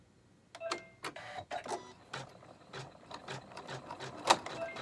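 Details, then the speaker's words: Janome Horizon 15000 embroidery with red dot bobbin after full rethreading: irregular clacking bursts with sharp high ticks instead of a smooth run; pulling thread up incorrectly, stitches not locking, thread knotted underneath. "you heard the noise okay the thread shouldn't hear that noise that's the beginning that is pulling things up incorrectly yeah it's all knotted underneath here"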